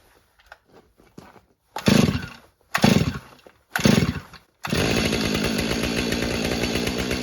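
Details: Stihl MS500i chainsaw, cold start after storage in an unheated garage on a cold snowy day, primer pumped eight times, decompression switch used: three cord pulls, then catches and settles into a steady, even high-revving run; healthy cold start.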